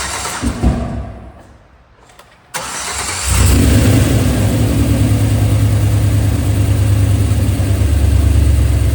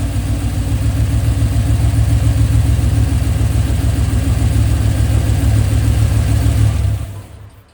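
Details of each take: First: 2003 Chevrolet Silverado with LS6 intake, just after replacing soft cheap intake gaskets; cranking, a sharp pop as it catches, then rough idle; startup backfire likely from intake/vacuum leak, which had also set a MAF code. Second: 2003 Silverado LS engine after the cheap, soft intake gaskets were replaced with name-brand ones. It had been running rough, backfiring and setting a mass airflow code. Now it idles with an even, steady V8 rumble and no stumble; normal idle after the repair.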